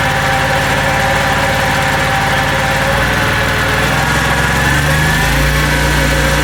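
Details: Small single-cylinder engine on construction equipment, running with the guard off after the recoil starter was removed, cleaned and lubricated with WD40. The putter settles into fairly even running and sounds much better, though a carb clean is still planned. Engine running after recoil starter service.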